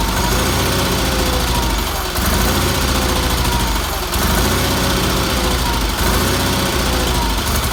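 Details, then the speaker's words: Red Roper with BFM small twin engine after a new fuel filter, fuel line and pump pulse line refit, and carburetor tuning (weak fuel pump suspected): steady idle with an even, low chuffing beat, no knocks or misses; runs fine. "I'm very happy with that motor runs good had to do a little tuning on it but that's what happens every time you do it"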